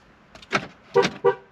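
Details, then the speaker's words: Flood-damaged 2012 Ford Focus from Hurricane Helene: lock actuators click, then two quick horn chirps; remote lock/unlock and hazards work normally. "lock unlock Works hazards work they're blinking outside I can see it"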